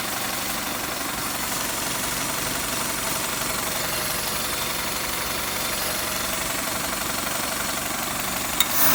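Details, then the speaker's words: Toyota 3SZ engine, oil pan previously replaced: regular tapping knock about four per second over steady idle from low in the engine; crankshaft suspected of contacting the oil pan, unconfirmed. "вот эта [ __ ] когда Тарахтят такой что мы не слышали ещё некоторые детали внизу есть звук"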